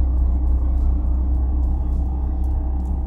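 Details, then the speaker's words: Peugeot 207 1.6 VTi 120 hp: deep steady rumble with quick pulsing throb while running, from a worn gearbox input shaft bearing; the noise will worsen and can end up breaking the clutch release bearing. "Si vous n'avez pas reconnu le bruit de la panne de la première vidéo, sachez que je l'ai identifié plutôt vite. Il s'agit tout simplement de l'arbre primaire de la boîte de vitesse."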